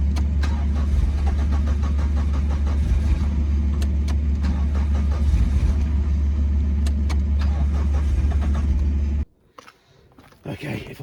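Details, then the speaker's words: 1991 Suzuki Swift 1.6 AWD saloon: steady starter churning for about nine seconds with no firing at all, then stops. Gets 12 V while cranking; cranks but won't start, cause unconfirmed. "let's turn the ignition on first start I can't hear anything of the tractor trying to start running and stops so definely gets 12 Vols when it cranks"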